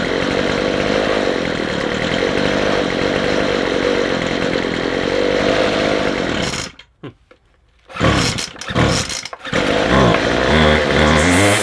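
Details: McCulloch 250C XL X-series two-stroke strimmer after the carburettor low and high mixture screws were turned out for more petrol. It buzzes steady at full throttle, dips briefly off throttle, then picks straight back up cleanly, running better.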